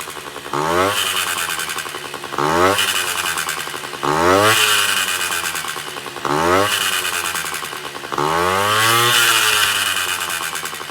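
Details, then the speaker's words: Honda Dio 34 moped, after a 30–40 km ride: on throttle blips a harsh metallic chatter rides over the revs, louder with speed; first suspected exhaust or variator, but the piston was loose, caused by a failed small-end needle bearing. "двигатель ни с того ни с сего за прям газу даешь он прям орёт стрекочет Я думал блин то ли глушитель пробился то ли что"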